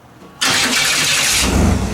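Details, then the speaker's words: 1991 Chevy S10 V6 after new spark plugs, wires, cap and rotor: sudden harsh, gritty whir as the starter engages before catching; owner suspects the starter needs readjusting, meshing too tight against the flywheel. "i still think the starter needs to get readjusted it sounds like it's got some uh it's not meshing right it's like too tight against the flywheel"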